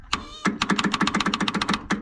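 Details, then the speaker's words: Circa-1970 Case 580 Construction King backhoe with a battery from another machine: rapid dry clicks, about eight a second, with no cranking; owner suspects a stuck starter or drained battery. "i'm gonna stick this screwdriver in here and i'm gonna hammer the starter the starter might be stuck"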